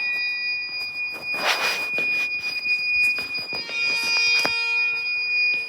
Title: The iPhone Discovery 1—Weird Beeping Noise at Westminster School Amman (read description)